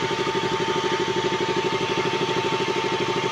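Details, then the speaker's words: KTM RC 200 single-cylinder, fully warm after about 12–13 minutes from cold, after valve clearance fix and O2/lambda sensor replacement: steady idle with no hunting, radiator fan whirring strongly; normal warm idle. "Napaikot ko na yung fan. Ibig sabihin mga 12 to 13 minutes yan bago iikot yung fan from Colst. Lakas pa ng fan niya."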